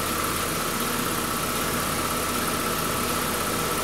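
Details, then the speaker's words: 2011 Buick Regal 2.0 turbo four-cylinder with a replacement engine, being cleared of various codes; it has an apparent aftermarket part and an air-intake part that was fixed. It gives an even, steady idle hum with no whistle or stumble and runs really well. "I mean it engine runs good runs really good"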